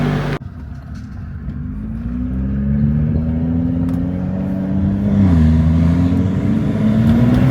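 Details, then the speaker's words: BMW F30 335i with swapped N55 turbo engine (EWG/PWG), road test after install: pitch climbs smoothly as revs build, pulling cleanly with no misfire or flutter; builds boost, healthy under load. "She's definitely pulling."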